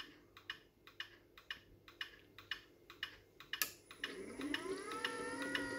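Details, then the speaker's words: V2 Alfariss gate motor, set up for the left-hand side with no safety beams, entering autoset: steady clicking about twice a second, then a rising hum as it begins its normal learning run to the rack magnets. "so that's saying escape we're going to go up until we see a p p r and once i press ok here you can hear it clicking"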